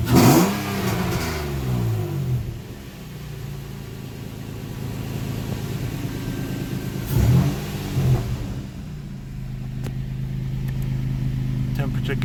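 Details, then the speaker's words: VQ-engined Nissan Sentra, first start in 8 months, no radiator fitted yet, warmed up. Two quick revs give a deep, smooth exhaust note that settles to an even idle, likened to a 350Z or Maxima: healthy exhaust note. "let me get you guys some exhaust notes but this car sounds really good sounds like 350z maybe a Maxima well you let me know what it sounds like"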